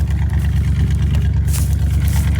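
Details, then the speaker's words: 1983 Dodge D150 Prospector parked 25 years, now fuelled from the tank, after rapping the carburetor: deep, even, steady idle, no misses, purrs like a kitten. "Purrs like a kitten though. I just wrapped on that carburetor a couple times."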